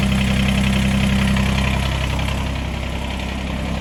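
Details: Kubota BX2380 tractor with mid PTO engaged, nothing connected, after removing a tiny piece of silicone gasket maker that had stopped the PTO working; even diesel chug about 220 beats a minute, no knocks or labouring; running normally.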